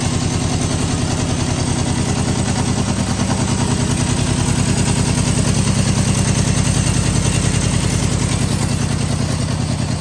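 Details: 1973 Honda CB750 first start after sitting 15 years; it had been parked over a worn-out kill switch. Even, steady four-cylinder beat with a solid low exhaust note, picking up cleanly when revved; normal running.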